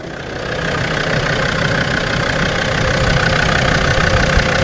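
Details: Land Rover Defender 90 Td5 after replacing the power steering pump, auxiliary belt and tensioner to cure a squealing noise: even diesel idle, steady low rumble, no belt squeal; pump and belt drive sound healthy.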